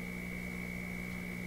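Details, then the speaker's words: Florida AM/FM/SW tube radio being troubleshot for low output and distortion: a loud, constant low hum with a thin high whistle on top. A poor ground at the test connections is suspected but unconfirmed. "why the huge huge hum well it's got to be from these connections it's as if this ground really hasn't hasn't taken here"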